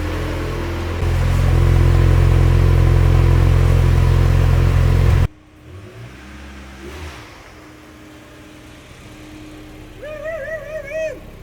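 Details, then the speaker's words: Turbocharged Mazda Miata just started after winter storage, oil pressure primed beforehand: loud steady drone with a rev blip, then quieter settled idle, even with no knocks or misses; normal idle and revving. "and that wasn't a bad start considering it's at all winter so we'll let that start for a while"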